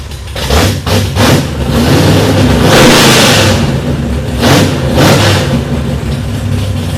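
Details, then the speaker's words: 1966 Plymouth Belvedere I restomod, 440RB V8, 295 degree cam, aluminum heads, dual-plane intake, tube headers; first run after the build: loud, uneven, choppy loping rumble with a few throttle blips, idling about 1500 rpm and dropping to about 800; normal big-cam idle. "So that was idling at about 1500 RPM. Gets down to 800 or so. It sounds like a washing machine with a bad belt and washing a bunch of pistons or something in it."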